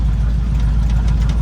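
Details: El Camino at idle, alternator charging. Deep, steady, V8-sounding burble, smooth and even with no misses; a healthy normal idle, though a couple of exhaust leaks are present.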